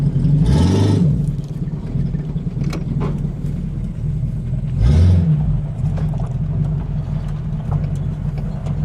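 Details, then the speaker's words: 1950 Buick straight-eight, chopped lead sled, running rough: lumpy idle with uneven burble and pops, feels like missing on one or two cylinders; owner suspects plugs and wires about five years old, not confirmed. "You can hear it's missing and burbling and popping a lot."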